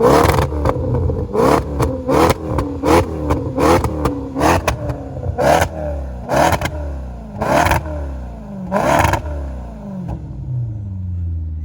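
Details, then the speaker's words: Fire-damaged salvage Maserati with Ferrari-derived engine, aftermarket exhaust and mods, sport mode, no check engine light, alternator not working: catches, sharp blips rising and falling cleanly, settles; healthy. "Turns out she's got an aftermarket exhaust on her and a couple other mods here. Let's get her in sport mode and see what she sounds like."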